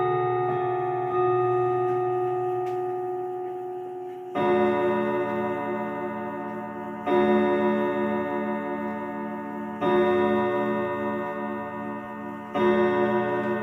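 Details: 1940s Manufrance box clock (1945–46) with a Girod movement, long pendulum and Saint Etienne rod chimes. Slow rod strikes every few seconds with long decaying tones that sound slightly sour together: some chime rods flat, strike out of tune.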